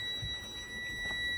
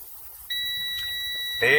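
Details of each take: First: Air brake bus pre-trip check with the primary air system being drained: a steady, unbroken high-pitched low-air warning buzzer and light come on at about 65 psi, above the 60 psi minimum, so the warning works properly. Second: Air brake pre-trip inspection, air system being drained: steady high-pitched low-air warning buzzer and light come on at about 65 psi (must be no less than 60 psi); low air warning working properly.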